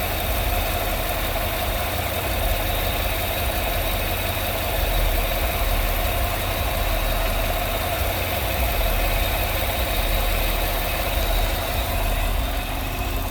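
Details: Idle after the noisy vacuum pump, which sounded like bad lifters, was removed, holes plugged and brake booster teed into the intake; steady even idle, smooth low rumble, no ticking or rattling on top; normal idle after repair.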